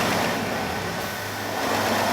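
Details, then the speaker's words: Jeep Grand Cherokee Laredo after belt tensioner assembly and idler pulley replacement: even, smooth idle with the earlier belt squeal gone and no chirp. Normal idle. "Alright, it's running. It's so quiet now."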